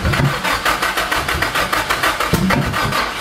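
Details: Nissan SR20DET first start after 1.5 years standing, very low oil pressure: catches and runs unevenly with lumpy irregular pulses about once a second, no steady idle; start map and ignition timing set wrong.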